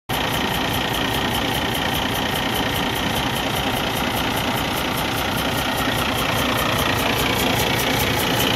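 Rough diesel idle with a regular puffing chuff about two and a half times a second at the exhaust, pointing to a compression leak into the exhaust.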